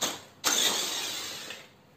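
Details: RC off-road car that used to die when throttled: short high whirring burst as the small electric motor spins up and fades, running cleanly without cutting out; normal motor run.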